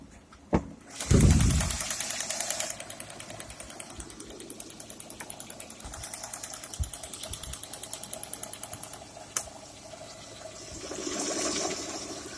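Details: Lada Priora with 126 engine, 130k mileage, Mobil 10W-40 oil: right after start-up a sharp, even knock about three times a second over the idle; engine knock of unknown origin.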